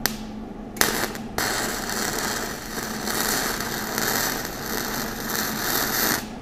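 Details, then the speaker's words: Flux-core welding with voltage turned all the way up and wire feed speed low: thin, hissy arc with irregular pops and gaps. It burns hot and penetrates, but the wire just trickles out, too slow for the heat. "so that's what it sounds like if your volts are really high and your wire speed is too low that wire just kind of trickles out and and doesn't do much"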